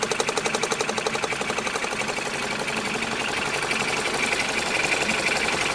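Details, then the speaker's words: High-mileage ex-police BMW G31 5 Series Touring on first start after sitting, nearing operating temperature: quick even tapping over smooth idle, coming and going, heard from underneath the engine; owner thinks not rod knock, cause unclear. "But I can constantly hear some tapping noises. Can you hear this now?"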